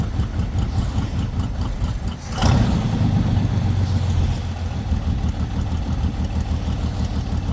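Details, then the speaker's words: Lowrider V8 after the dipstick oil leak repair, now no longer leaking from the dipstick: engine catches and settles quickly into a low, even burble with no misses or stumbling. It reaches idle faster than before. Normal idle. "all right now as you can see it doesn't actually take as long to uh idle as it used to"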